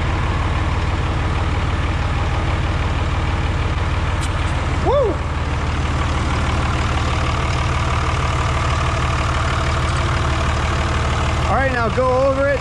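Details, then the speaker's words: Cummins 5.9 diesel just after head gasket replacement with ARP head studs: steady, even clatter at idle with a low, firm rumble, no misses or knocks; engine sounds healthy, no leaks. "She sounds like she's running good."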